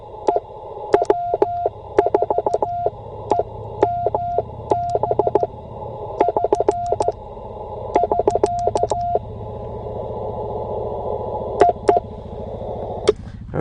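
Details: Bamatech CW paddle key sending a steady mid-pitched Morse sidetone with stray short dits slipping into characters. The paddle was over-tightened to reduce clacking, and it rebounds into contact when hit hard; it needs readjusting.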